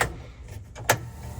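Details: Datsun 280Z GT2 race car, switched on for the first time in many years: a sharp click at switch-on of fuel pump number one, then a faint, steady low buzz as the pump runs evenly. Normal fuel pump operation.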